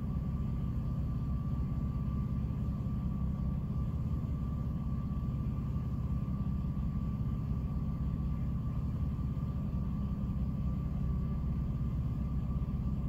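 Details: 2006 Jeep Liberty at idle with A/C off, low rumble with a wavering beat and occasional dips; it randomly stumbles and nearly dies, cause unknown.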